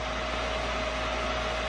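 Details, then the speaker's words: Neptune variable-speed pool pump motor at 3450 RPM on time clock 2 (pool cleaner setting), turning harder; smooth constant hum, clear steady whine and airy rush, no grinding or rattle; running normally at high speed. "This is a pool cleaner. It's set up for 3450 RPM. And you can hear it turning a little bit harder now."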